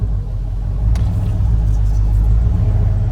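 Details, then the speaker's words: Mitch's 2WD 2500 truck, stock ECU, heads/cam upgrade, 150 lb injectors at about 18% duty: deep steady low rumble with slight cam lope at about 700 rpm idle; healthy V8 idle, injectors not the problem. "nice calm idle every time so I just wanted to show you guys if you're struggling it's not the injector so"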